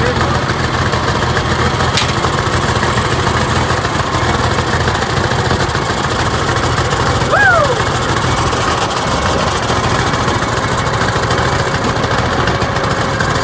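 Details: TD25 diesel dozer just started after sitting 20 years (speaker says about 10), with water drained from the tank and new batteries fitted; a deep, even rumble holds a steady idle with no knocks or misses. Normal idle.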